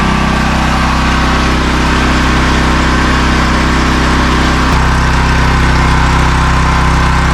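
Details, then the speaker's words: New open-box AGT industrial 12kW (9kW continuous) generator on first startup after assembly, measured about 90 dB from 4-5 ft: loud, steady, even drone pulsing about 3.5 times a second; running normally. "so she's pretty loud kind of figured it would be so yeah looks like around 90 when you're four or 5T away from it which isn't so bad for just an open box generator"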